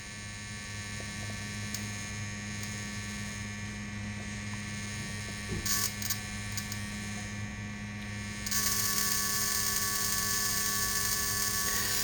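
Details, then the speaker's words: Magneto coil from a 1916 Evinrude rowboat motor on a Merc-O-Tronic tester at minimal power, about 1 on the scale: steady, even buzzing spark snap with no misses or dropouts; coil is good. "okay so on the mercatronic scale it looks like it's about about a one arm okay so indeed it looks like i have a good coil"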